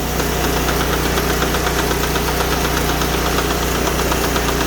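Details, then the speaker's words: Sears Suburban lawn tractor, fourth transaxle failure this year, after moving firewood; noise grows with throttle, stops in neutral or with the clutch pedal in: steady engine drone with a rough repeating knock; transaxle knocking suspected. "maybe the noise will just wear itself out and go away or maybe the whole wheel will fall off again sounds like it's getting a little wider"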